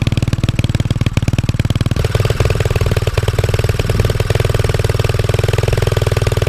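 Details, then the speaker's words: Pit bike after swapping troublesome original carb (cold start and idle issues) for new 26mm Mikuni carb, warming up: quick, steady single-cylinder thump with deep low end holding an even idle; healthy normal idle. "now that the carb is back on the bike the fuel line is connected I'm going to warm up the bike a little bit make some adjustments and then we're going to go for a little ride"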